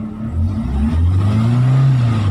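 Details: Chery QQ 311 gasoline engine, in a video about a misfire: rises and falls smoothly through a quick rev with a clean, even low drone and no stumble. Sounds healthy, normal revving.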